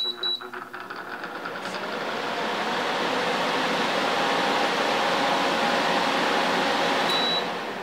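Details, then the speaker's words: LG LHD659BL dehumidifier found in the trash, switched on to check the compressor: rushing hum builds then holds steady as fan (high then low speed) and compressor come on; normal start-up. "as you could hear that's the high speed that's low speed so the compressor is running and the fan is right so that's normal"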